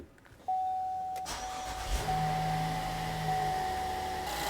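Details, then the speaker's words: 2016 Chevy Traverse V6 just after spark plug replacement: starter whirs briefly, engine catches and settles into a smooth, even, healthy idle; normal start and idle. "Nice, sounds good."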